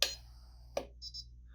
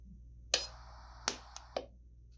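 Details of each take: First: Sunstone mPulse permanent jewelry welder: two contact clicks, then a double beep, as the weld is aborted because the electrode touched and was then pulled too far from the piece. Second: Several short, sharp snaps with quiet gaps, each a clean single crack: an mPulse permanent-jewelry welder firing proper pulses while welding a jump ring held in paint-stripped grounding pliers.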